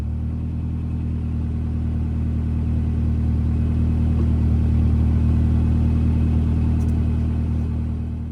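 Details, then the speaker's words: 1974 Fiat 124 Spider with a K-swap engine at first start, ECU connected: deep, even exhaust rumble with a steady firing beat that swells under a light rev; runs well, with possible exhaust leaks, noisy injectors and valves needing adjustment. "It sounds fairly good. I do hear some maybe exhaust leaks, noisy injectors, noisy valves. I'm sure it could use a valve adjustment."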